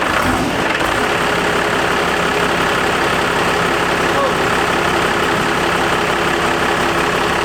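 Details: Diesel truck, first start after installing a compound turbo system including a BorgWarner S475, and after doing the injectors; steady, even idle clatter with constant tones and no misses or knocks. Normal idle.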